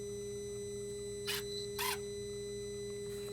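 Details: Dodge/Mercedes Sprinter, new turbo boost-pressure actuator after code 2510 limp mode, commanded via scan tool to 70 and 20 percent; two quick whirring buzzes then a fainter third as motor drives the lever; normal actuator operation.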